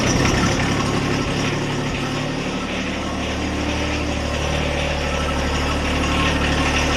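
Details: John Deere 1025R tractor diesel after oil, oil filter, fuel filter and air filter change: settles into a steady even low rumble with no knocks or misses; healthy idle.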